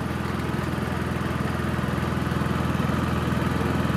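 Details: Honda EU3000is inverter generator after a Nashfuel propane/LP conversion kit install: steady, even putter at about two beats a second with no misses or surging; it runs smoothly on gas.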